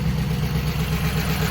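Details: Car with 93,000 original miles, running on a jump box: low, lumpy idle with uneven clattery beat; tired engine with zero oil pressure, sounding badly hurt.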